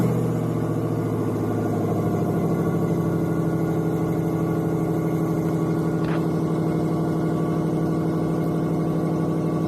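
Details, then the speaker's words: 1994 Lexus LS400, 1UZ-FE V8, 172,000 miles, before repair: steady idle with rapid raspy puffing ticking over the low rumble from a terrible exhaust leak. "it runs pretty good but it's got a terrible exhaust leak and that's going to be the focus of today's video"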